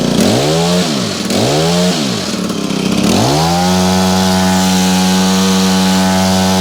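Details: Honda HHH25 two-stroke hedge trimmer after carburetor replacement and idle adjustment: three quick revs rise and fall, then it settles into a steady, even buzzing idle at a good speed with no stumbling. It runs well.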